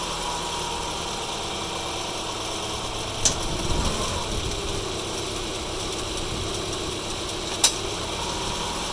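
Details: Subaru Forester 2.5 XT automatic idles with sharp single clunks, about four seconds apart, each time it is shifted from park to reverse and back. A bad CV axle is suspected; not confirmed.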